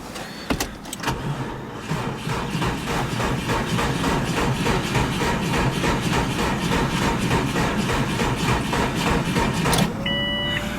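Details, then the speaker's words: 2002 Subaru WRX wagon, 337,000 miles on odometer, auction car: regular starter cranking about three to four beats a second for ten seconds, never catches; cranks but won't start, owner suspects it is out of gas. "Huh, maybe it's just all the way out of gas."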